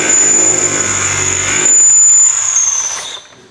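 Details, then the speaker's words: Mini Cooper S R53 with rebuilt Eaton M45 supercharger just refitted: steady high whistle over the running engine, fading at shutoff, seeming to come from near the supercharger; suspected air leak, unconfirmed. "fischia fischia quindi se fischia significa di fatto fischio da dove arrivava da davanti vedo come sembra che arrivava dal volumetrico"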